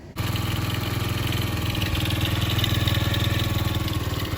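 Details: 50cc Chinese mini ATV reassembled with its carb seal soaked in PB Blaster: the engine catches straight away and settles into an even, steady putter with a fairly mellow exhaust, now quieter with no leaks; a normal idle.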